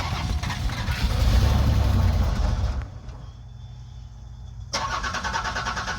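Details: Buick Park Avenue first start in over 8 years after splicing in new fuel lines: starter churns about four beats a second, engine catches and settles into a steady low idle; starts and runs normally.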